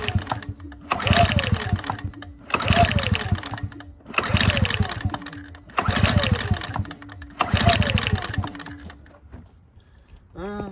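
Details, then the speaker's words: Ryobi RYi2322 inverter generator bought not running, fuel drained and refilled, choke on: five recoil pulls each whirring briefly with no firing at all; spark plug boot left disconnected. "Oh, I forgot to connect the spark plug boot. I had that taken off."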